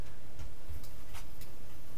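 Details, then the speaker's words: Bicycle after sitting unused, wheel spun: light, rhythmic scraping tick and squeal from the disc rotor brushing a misaligned brake caliper; disc brake rub, needs adjustment. "so right now because the bike's been sitting the metals have moved on my brakes my disc brakes"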